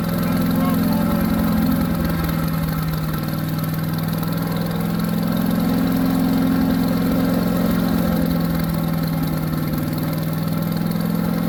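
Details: New Harbor Freight Predator 212 chipper shredder after fix for only running on choke, fresh oil: small single-cylinder holds a steady, even drone at constant speed with no surging; runs smooth off choke.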